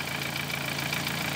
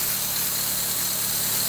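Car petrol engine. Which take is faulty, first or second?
first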